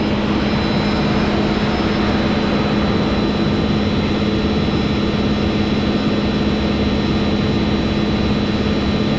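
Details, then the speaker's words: Water park filter pump restarted after extended shutdown: loud steady pump roar with constant low drone and rough churning texture as water flows but air remains in the line, visible in the clear pipe; air in pump system. "So we do have water flowing into the system. Yeah, there's some air in it."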